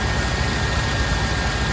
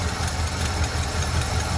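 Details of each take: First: Chevy C30 square body Mason dump V8, revived after an under-hood fire: steady low rumble at idle with an even beat and no misses or knocks; it runs smoothly. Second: Chevy C30 square body Mason dump bought inoperable from Copart after an under-hood fire melted the harness and carb, first start after priming the carb: steady V8 idle with a light irregular tick tick from the unsealed, pinched-shut exhaust ports.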